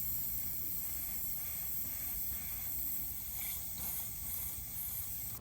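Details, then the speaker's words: 2006 Land Rover LR3 air suspension, fault warning: steady, sharp hiss of air escaping at both outlets of the center valve block, bubbling in spray test; leak at valve block, fixed by replacing O-rings. "I'm gonna try to get in there with the spray bottle, but clearly we have a leak right there. All right, they are both leaking."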